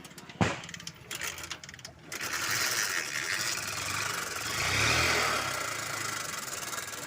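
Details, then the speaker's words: Honda Shine motorcycle: catches after a few cranks, then runs rough and uneven with a harsh clattering that swells and fades. No pickup and occasional hard starting; full engine rebuild planned. "यह गाड़ी बिल्कुल भी pickup नहीं ले रही है और कभी-कभी स्टार्टिंग में वह दिक्कत करती है सुनिए आप इंजन का साउंड कितना बेकार है"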